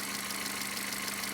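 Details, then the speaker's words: Toyota Corolla 4ZZ engine after reassembly: timing chain noise gone, but light quick ticking from the cylinder head at idle remains; valve clearances measured, some too tight, some too loose, owner believes the mechanic misadjusted the tappets. "Это из- за того, что шум от цепи исчез, но, похоже, механик неправильно отрегулировал толкатели, потому что я только что измерил несколько клапанов. У некоторых слишком тесно, у других слишком большой зазор ."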